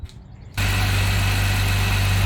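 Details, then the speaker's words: 2015 Jeep Wrangler JK 3.6 after replacing the idler pulley that caused a loud whine: engine catches and holds a smooth, even idle with no whine or squeal from the belt; fixed. "real nice the wine is gone and it was a 20 fix"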